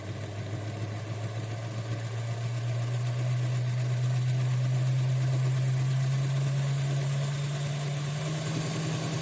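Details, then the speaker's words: Model train Doodlebug loco first switched on after broken gears were repaired with CA glue and bicarb soda, at slow speed on transformer power. Steady low hum rising slightly as it speeds up, even and free of clicks: the gear train runs smoothly. "Alright, so we're going to turn it on. We'll see if it works. Woohoo! Alright, so that's just slow."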